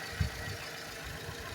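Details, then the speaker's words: 2009 Ford Ka 1.0 Zetec Rocam after cylinder head work: even, healthy idle with a soft low hum and no tapping from the timing chain area, after replacing a timing chain tensioner that had no pressure with an aftermarket one. "eu troquei ele e coloquei um de uma marca que não é original dele mas ficou muito bom e daí parou de fazer barulho"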